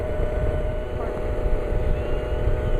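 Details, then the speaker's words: Nitro RC helicopter engine leaned out, idle screw untouched: fast steady buzzing idle noticeably higher than before; lean "pissed off" engine running hot, likely over 220°, needs richening. "The idle is higher than it used to be. That's what I call a pissed off engine. It's telling me to richen it right there. Higher idle."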